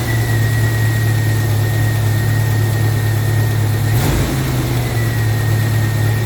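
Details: Steady low idle from a 1995 Jeep Wrangler YJ 2.5L four-cylinder after new fuel injectors were installed, with an even beat and faint high whine, no stumble or miss; no fuel leaks, check engine light off, running normally.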